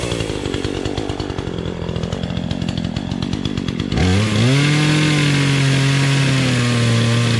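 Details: Two-stroke Remington Outlaw 20" chainsaw, first start in a year on old gas, choked to start: even popping idle, then it snaps up to a clean, steady high scream with no bogging or surging, running healthy.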